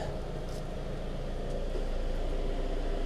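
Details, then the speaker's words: 2002 Toyota Camry, 220k miles, after new plugs, coils, valve cover and throttle body cleaning for low idle: quiet, steady warm idle, much improved; belt tensioner noise heard when cold or with AC on has stopped. "you see it got quiet now so once that tensioner kind of warms up it quits doing that but the good thing is it's idling so much better"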